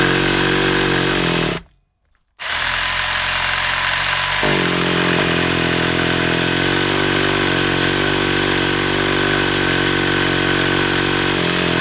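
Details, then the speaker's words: Hobao Hyper 7 nitro RC engine, stored over two years, primed, throttle possibly too far closed: steady starter buzzing, turns over without firing, coughed a couple of times; owner suspects glow starter flat, unconfirmed. "The reason I kept on trying was because it did it did cough a couple of times, didn't it?"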